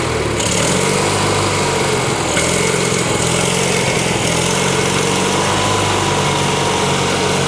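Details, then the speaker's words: 1986 or 87 Argo Magnum after a fuel system cleanup: steady, fairly low buzzing idle without stumbling or surging. The idle is probably deliberately low so the clutch doesn't engage; running normally. "I think we can safely say that that was running under its own Steam and uh yeah that idle is pretty low but uh I think there's a reason for that"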